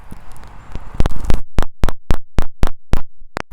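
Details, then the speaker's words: Chevrolet Avalanche rear park assist sensor with truck in reverse and microphone held up to the sensor: sharp crisp clicks about four times a second, showing the sensor works; used to find the one dead sensor. "You're going to hear them clicking, and you'll know they're functioning."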